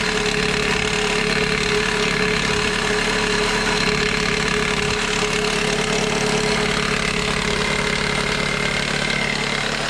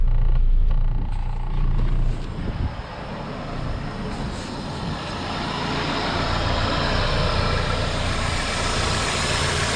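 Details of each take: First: 2001 Toyota Corolla four-cylinder idling in drive with e-brake on: fast, steady metallic chatter from the serpentine belt tensioner, which quiets when pressed by hand; fixed by replacing the tensioner. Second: Toyota Corolla engine after serpentine belt tensioner replacement, idling in drive with AC on for extra load: steady low idle, dead quiet, no belt-drive rattle that was previously loudest under AC load.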